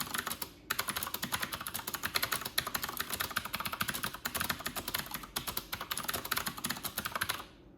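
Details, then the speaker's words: Corsair K70 RGB Pro keyboard with Cherry MX Blue switches, typed fast (94 wpm) in a quiet bathroom with the camera in front of the keyboard: rapid, crisp, consistent clicks in uneven bursts, clicky switches working normally. "So that's a sound test of the Corsair K70 RGB Pro MX Blue."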